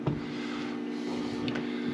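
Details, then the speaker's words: Victron IP22 Blue Smart 12V/30A charger stepped up from 15 A to 30 A charging a barely depleted LiFePO4 battery, with an inverter also humming normally: a faint steady low hum that grows slightly louder, with no buzz or crackle. This is normal. "Let's kick this up to 30 amps real quick. You can hear everything kind of hum a little bit more. Getting a little hum off of this."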